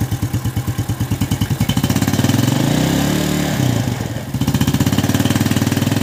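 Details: Yamaha New Jupiter Z after repair for a rough, noisy engine with suspected worn piston and slack cam chain: crisp, even single-cylinder idle, rises smoothly with a blip and returns steady, no top-end rattle or ticking; normal idle.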